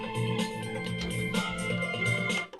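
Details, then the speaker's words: Roland SonicCell, steady organ tone on the left-channel output that suddenly cuts to near silence as the plug is wiggled; the jack doesn't seat and bounces back out, a faulty TRS output socket, possibly a cracked solder joint. "Put it into the left channel, and you can hear there that it's cutting out as I wiggle it."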